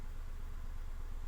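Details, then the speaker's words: Nissan Almera, code P0302 cylinder 2 misfire, warm idle: the ECU raises idle to about 1000 rpm with the throttle sensor slightly high, giving a lumpy dead-cylinder stumble. Failed cylinder 2 coil; a good coil should drop idle to about 700–800 rpm. "แต่เครื่องยนต์สั่นก็คือเท่ากับว่าตอนเนี้ยกล่องเขาพยายามเติมรอบให้ให้เครื่องยนต์ไม่สั่นโดยการเพิ่มรอบ"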